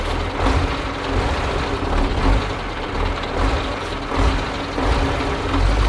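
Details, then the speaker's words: Soviet-era Kamaz diesel truck warming up at idle after first start following 6+ months of storage and field servicing, brake air building; steady gruff idle with gentle swells and airy hiss, nothing knocking; normal warm-up idle. "So, we're not giving up that easily. I let the Kamaz run a bit."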